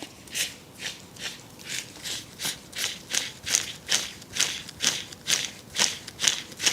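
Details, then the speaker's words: 2010 BMW E91 318d rear wheel bearing, removed and spun by hand: rasping, gritty swish about twice per second. Unlike the smooth new bearing it turns very rough, probably dirt inside, not collapsed; cause of the whirring noise that grows louder with speed. "is very rough. So that's obviously the cause of the noise. The bearing hasn't collapsed in a sense. I think it's probably just got dirt in there, and yeah, just made it very rough."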